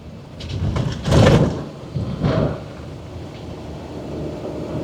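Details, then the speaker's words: Truck towing a trailer on a gravel road with the 2.5-inch anti-rattle hitch collar loosened: heavy clunks and thumps over road rumble as the trailer bounces, from play in the receiver. It was smooth with the collar tightened. "You can hear the trailer bouncing around just a tiny bit more. Like, it's pretty night and day different to me."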